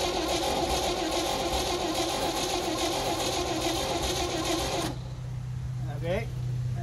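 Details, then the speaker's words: 1971 International truck, carb primed, cranking about five seconds with little compression resistance and never firing; blowby from the valve cover and low compression indicate badly worn piston rings. "not so great this blowby flying out of the valve cover that is not good at all that tells me that the Rings are super one which the lack of compression would verify"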